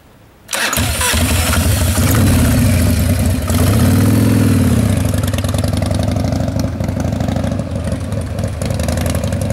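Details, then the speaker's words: 1995 Harley-Davidson Wide Glide Evo 80 cubic inch after reassembly with Total Seal gapless piston rings; cranks, catches, settles into steady loping V-twin idle, no knocks or ticks, better throttle response than before; normal idle. "we've got Jasmine all put back together and she's running good you don't have any issues"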